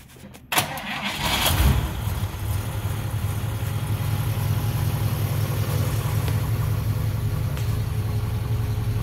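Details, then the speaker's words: 1955 Chevy Bel Air convertible engine started for the first time after 30 years parked, with gas poured into the carburetor: a brief crank catches quickly and settles into a steady, even low idle with no misfire or knock. "This engine hasn't started in 30 years. She's running pretty good now."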